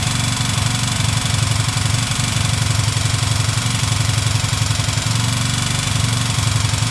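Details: Chinese motorcycle with a 162FMJ pushrod single-cylinder engine, bought already knocking. At idle a steady knock of about four per second is clearly heard over the engine. The internal source is not yet pinned down; the owner asks what it is.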